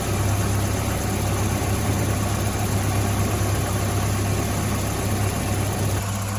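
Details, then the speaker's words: 1985 Volvo 245 with B230F and LH2.2 fuel injection: low, lumpy idle with an uneven beat that never settles; misfire, with cylinders one and two running cooler, traced to clogged injectors and a leaking fuel pressure regulator. "we came at a conclusion that the fuel injectors were clogged and the fuel pressure regulator was uh was leaking as well"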